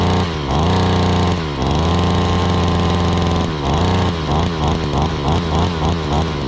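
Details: 2013 Ryobi SS26/RY28140 trimmer, 26cc two-stroke, after starting: revs up, holds a clean high note, then blips repeatedly and picks up crisply every time; normal running.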